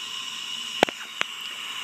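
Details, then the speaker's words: Acura Integra B18B1 engine leak-down test on cylinder 3 at top dead center: a constant airy hiss under faint clicks as pressurized air escapes past a leaking exhaust valve. "this cylinder has even more leakage you can clearly hear the air escape"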